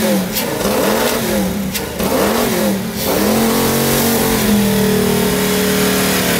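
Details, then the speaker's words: 1995 Mustang GT, long-sitting: catches on sprayed starting fluid and surges unevenly, pitch swooping before settling rough, then dies out of fuel; oil pressure confirmed. "woo got oil pressure ran out of fuel it's got oil pressure sweet that sounded terrifying"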